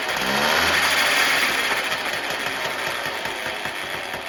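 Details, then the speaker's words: Chain-drive moped on the stand after transmission rebuild with new parts: two-stroke buzz with light mechanical chatter from the drive; noise because new parts must bed in, chain needs slight tensioning, pedal axle slightly bent. "Alors bien sûr, ça fait du bruit parce que c'est neuf, il faut que ça s'appaire."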